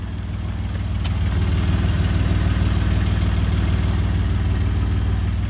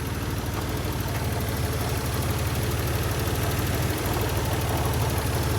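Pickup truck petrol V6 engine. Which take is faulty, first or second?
first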